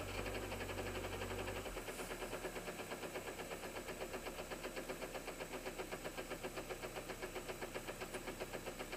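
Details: Engine started cold settles to a steady idle with an even, sharp knock about four times a second; a strange cold-engine knock of unknown cause.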